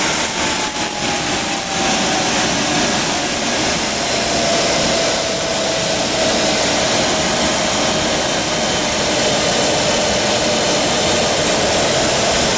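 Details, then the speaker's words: JetCat RC jet turbine after repair of starter clutch, worn bearings and deformed NGV touching turbine blades: steady high-pitched idle whine and hiss, no surging, idle exhaust temperature normal, under 500 degrees. "Normal idling temperature"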